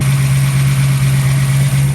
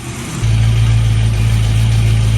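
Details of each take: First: 1974 AMC Hornet wagon V8 at a gas station on first drive after a milder cam swap (old cam had a collapsed lifter): steady even idle sitting a little high because the carburetor wasn't adjusted after the cam; no leaks, no knocks or misses. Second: 1974 AMC Hornet wagon V8 just after fitting a milder third camshaft (previous cam had a collapsed lifter, diesel-like noise), about 11,000 miles, distributor not yet timed: deep steady idle, even low burble, no ticking or knocking; runs healthy.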